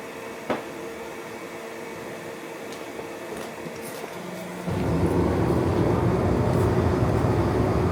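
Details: Sunfire SF 80 diesel/kerosene forced-air heater, started after fuel prime (prime pump loud, then quiet): quiet at first, then steady even roar of fan and flame holding smooth; normal forced-air heater running.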